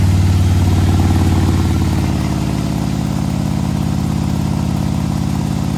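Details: 2020 Harley-Davidson Road Glide, fresh 130-inch T-Man Performance stage four engine on a dyno pull after warm-up (result about 155 ft-lb torque, almost 153 hp): deep, even V-twin pulse around four beats a second, steady and strong, no knocks or misses; healthy under load.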